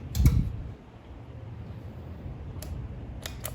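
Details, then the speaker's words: 1947 Willys CJ2A that sat in a barn for nearly a decade, cranked with a digital battery charger in start mode; two or three sharp dry clicks and no cranking, with a stuck or faulty solenoid suspected, not confirmed. "We get two or three clicks out of her and she just says no more."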